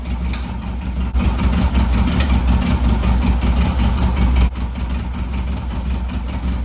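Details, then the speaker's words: 1958 Karmann Ghia with a rebuilt air-cooled VW flat-four: a lumpy, uneven, loping idle. Pulling plug leads gives no response from cylinder one while cylinder three works, so one cylinder is dead. A vacuum leak is suspected next. "Right here, what I'm doing is making sure all the cylinders are working. Cylinder 3 is working just fine. Cylinder one, I'm not getting any response. And that's not good."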